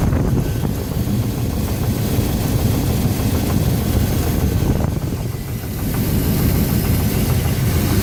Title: 350 rod knock???